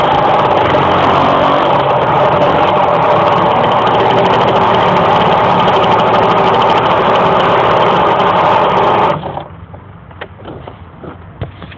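The engine holds a flat, strained drone while driving and never climbs in pitch, then drops away, so it is struggling to rev.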